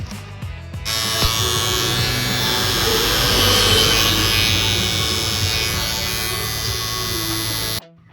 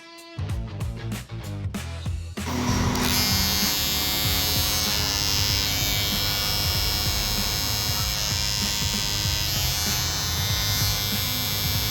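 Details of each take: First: Barber's hair clipper motor running far louder than normal before the fix of opening the two top screws and fitting foam padding inside: loud, steady high buzz for about seven seconds with a harsh, rattly edge. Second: Barber's hair clipper after a trick meant to cut its loud motor noise by about 40-50%: a steady, even buzz with no rattle or harsh edge, music behind it. It runs normally and quietly.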